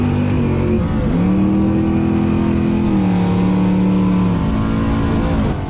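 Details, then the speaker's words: Drag race car with the carburetor upjetted considerably for the track, during a pass: the engine pulls hard, then flattens and stumbles near the top of first gear, breaking up under load. The driver suspects fuel, but the cause is unconfirmed. "The engine started breaking up at the top of first gear, so I pulled second and just let out of it and coasted to the end."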